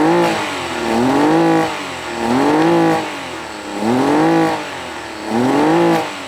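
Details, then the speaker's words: Honda BF40 outboard on a 14 ft boat, after head gasket replacement: idles fine, but blips climb, stall and fall back under acceleration with shaking; fuel starvation, later fixed by cleaning carb jets, new o-rings and adjustment. "so what I think is really the way it sounds like that the motor is starving for fuel it sounds okay if or as long as runs in idle"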